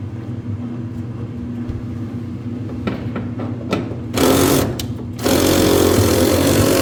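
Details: Whirlpool dryer running: steady low drum rumble with droning hum and rough grinding undertone as the drum turns; worn-out drum support rollers, fixed by roller kit replacement.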